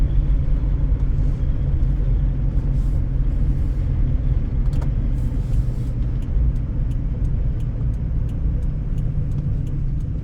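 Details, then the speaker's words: 1998 Lexus ES300 (Camry-based), high mileage, warm and not overheating, on test drive: heavy deep drone and rumble fill the cabin, far louder than stock; loud exhaust, possibly a leak the seller thinks could be welded or taped. "You can hear the exhaust is louder. I'm sure that that could be welded or taped with exhaust tape or something."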